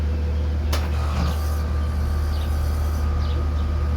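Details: AC or heat pump condenser at startup: steady low hum with a sharp click and faint thin tone; uneven start that may signal impending failure, fix said to be as easy as replacing a part like a battery, possibly a weak capacitor.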